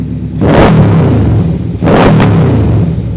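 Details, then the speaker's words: 2008 Yamaha Royal Star Venture 1300 V4 liquid-cooled, previously running far too rich, spitting flames and popping: after repair and warm-up, two clean rev blips with only a faint pop; better throttle response, air-fuel adjustment planned; smooth revving. "still a little popping coming out of there nothing like it was was that's a lot better this thing would be shooting flames out the back and spitting and popping and that's way smoother"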